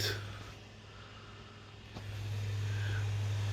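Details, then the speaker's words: PS5 CFI-1216A, five weeks old, disc drive unit after removing an object jammed in by a child: soft low hum steps up to a steady even tone as the disc spins up, far quieter than the earlier clatter; normal disc spin-up. "you can hear it spinning up oh my goodness here wow that is super silent computer to what we had before"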